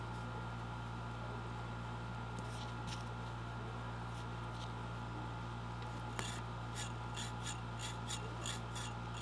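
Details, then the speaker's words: General Electric AM/FM tube radio: over a steady mains hum, quick scratchy rasps about once a second as the dial turns; tuning capacitor plates are mashed down and rubbing, which may stop the oscillator. "I just notice these plates are mashed down and rubbing but I don't think that that might kill the oscillator but I don't think the oscillator was going to run anyway um you can hear them touching"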